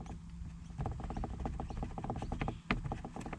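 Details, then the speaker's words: Toyota Prius Gen 2, loose, flimsy underbody panel tapped by hand: quick hollow plastic clattering, roughly eight clicks a second, with wind behind it; it matches the rattle heard in the cabin while driving. "it's loose so over time it's just gotten flimsy air and flimsy trying to get it so that the noise can be heard and it's exact knows that you hear in the cabin"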